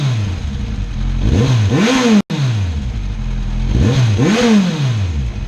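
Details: 2016 Kawasaki Z1000 running in its quiet mode after a brake fluid flush; a deep steady idle rises smoothly in pitch with two clean throttle blips and falls back, even and quiet, a normal engine revving.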